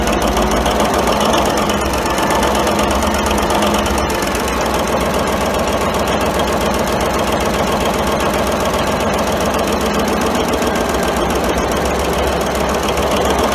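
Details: 1942 Cleveland 8-268A inline 8-cylinder two-stroke Roots-supercharged diesel generator engine, USS Stewart engine room, first start after 72 years idle; loud, even multi-cylinder clatter holding constant speed, no misses or surges; normal running.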